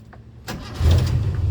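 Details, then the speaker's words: 1993 Suzuki Katana GX (Jimny) petrol engine started: brief crank, fires at once and settles into a smooth low idle; clean, healthy start. "Nah untuk suara mesinnya kita starter langsung terjereng."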